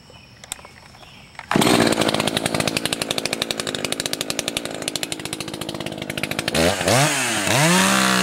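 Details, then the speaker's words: Two-stroke chainsaw at full throttle in wood during break-in: burbling, uneven four-stroking from a too-rich high-speed screw, clearing to a clean scream when leaned; high-speed screw to be turned in about an eighth turn. "Yeah. Actually, it's running a little more rich than even I would want for break-in."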